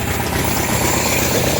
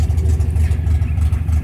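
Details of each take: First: 1972 MGB with SU HIF44 carburetors just synced and idle lowered from 1400 to about 1000 rpm after an oil change: steady, even, smooth idle with no misses, hunting or knocks; normal idle. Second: 1972 MGB with twin SU HIF44 carburetors, idling after an oil change and idle-screw adjustment: low, lumpy, wavering idle with uneven beats, feels ready to die; idle set too low, carbs about to be balanced.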